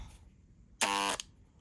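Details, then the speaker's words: Water-damaged Dremel 3000 rotary tool, power button sticking: brief harsh electric buzz and vibration but shaft not turning, no spin-up whine; finding: seized motor shaft, stalled motor hum. "I don't want to keep going cuz it's It's vibrating, but it is not turning."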